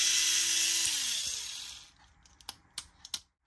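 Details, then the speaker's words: Tamiya Mini 4WD MS/MA chassis with the m4dtang floating gear, run ungreased: a smooth, high motor whir winding down with a falling pitch, then light clicks. No grinding; the gear mesh is fine. "There's no any force training sound, no weird sound at all. Especially I didn't put any grease at all."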